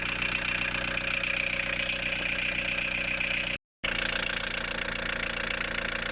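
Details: VW 1.9 TD diesel idling after a timing belt, water pump, pulley and fuel filter change, covers still off, freshly refilled with coolant: steady, even clatter with no misses, knocks or belt noise; healthy.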